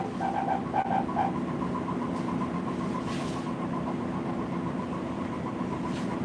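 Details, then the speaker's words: Laminating roller (the roller that applies film) on a UV printer squealing as the machine heats up to 45 during a test print: high thin chirps pulse quickly, then a faint steady squeal over the motor hum; cause unclear. "This right here is going to be left on. That sound is not nice, though. Why? What did I do to you? What? That does not make for good. I don't know, y'all. I'm trying. I'm trying to not have it squeal. That sound is driving me crazy."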